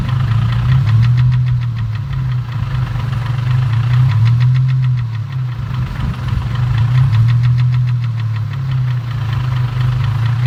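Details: 2004 Infiniti G35 with rough idle: deep uneven knock about four beats per second under a lumpy idle, suspected rod knock, unconfirmed.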